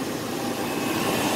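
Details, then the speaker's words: 2006 Jeep Cherokee right after fan clutch replacement: smooth steady idle under an even fan rush, no roaring, rattling or speed wobble; engine and fan sound fine. "se escucha bien. Entonces, pues ahí quedó, amigos."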